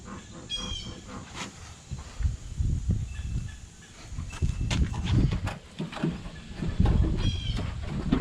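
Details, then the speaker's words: 2007 Mustang V6 track car driving over bumps; irregular dull thumps and clunks with each bump, worst on driver's side, none on passenger side, feels like something loose; suspension clunk, cause unknown, before replacing rear control arms, panhard bar and brakes. "noise i don't know what this stupid clunk is but it's driving me nuts it's like over every little bump you can hear it"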